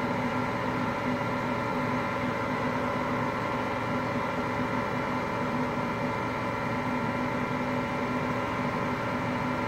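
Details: Hotpoint Aqualtis washing machine, bearings just started to go today: constant low roar and rumble under a steady hum as the drum turns; worn drum bearings.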